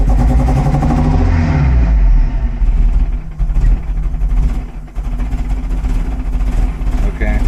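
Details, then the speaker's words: 1975 Volvo 245 with 16v turbo engine and LH2.2 injection; lumpy, uneven running around 800 rpm with about 5 vacuum and AFR 8–9, sagging and nearly dying, kept alive only on slight throttle; faulty air mass meter. "Slight throttle. We can keep it from dying, but that's about it."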